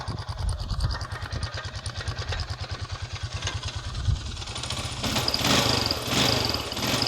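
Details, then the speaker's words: 2006 Honda Foreman Rubicon ATV, revved from idle: single-cylinder thumping with a thin high squeak riding over the exhaust from the spark arrestor; two bolts broke trying to remove it, so it likely needs replacing. "so i did try and take that out and two of the bolts were sacrificed while i tried to do it so i think i'm gonna need a new spark arrestor"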